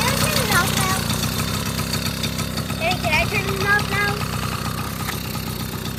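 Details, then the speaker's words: 1980 Honda Express II two-stroke scooter: putters at an even, steady idle of roughly three pulses a second without stumbling; starts right up and runs fine. "now look at it it's super clean it runs it starts right up the lights work"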